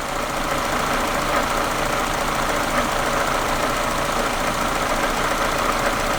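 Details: Supercharged Mazda MX-5 NA6, rough idle since a service, idle screw disturbed: as the screw is turned anti-clockwise the idle lopes unevenly and hunts, creeping up to just under 900 rpm; rough, almost misfire-like idle, cause unconfirmed.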